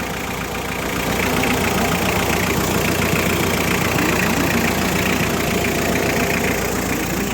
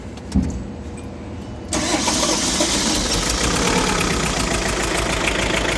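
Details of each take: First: Diesel engine, previously with a chuffing noise, after the valve cover gasket and other work: an even idle with a steady clatter of about three or four beats a second, no misses or knocks; the engine is healthy. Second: Diesel with a chuffing noise, suspected burnt valve, head gasket burnt between two cylinders, or faulty hydraulic lifter: uneven, lumpy idle with a rough chuff and stumble; a misfire, head gasket burnt between two cylinders suspected, rocker still to be checked.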